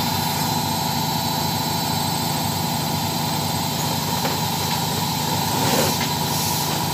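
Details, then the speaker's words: Side-door front-load washing machine at maximum spin with a load, after retightening loose top counterweight that had shifted backward: steady even hum, no knocking or banging; normal balanced spin cycle. "Hai ini kecepatan maksimal Alhamdulillah sudah sudah tidak Berisik lagi ya tidak mengganggu tetangga lagi hehehe ini kecepatan maksimal dengan kapasitas cucian di dalam happen"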